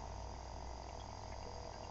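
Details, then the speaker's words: Old house with rusted original galvanized water lines: faint, unbroken hiss of water trickling into the toilet bowl, less than at first but still running, because the fill valve is stopped up and won't shut off. "as you can hear it's still running it's not running a lot per se as much as it was when I first started this little endeav but it is running and that's consuming water"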